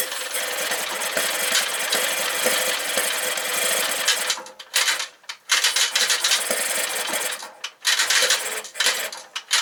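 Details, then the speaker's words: 1968 Kohler 6.5kW marine genset (model 6.5A27, under 300 hours, being converted to fresh-water cooling): busy cranking churn with brief catches and stumbles that never runs; starter cuts out as it catches, fuel blowing from exhaust port, gasket shot; cranks but won't start. "uh i'm stumped that really sounds like it wants to start and we're blowing a bunch of uh looks like gas out the exhaust port"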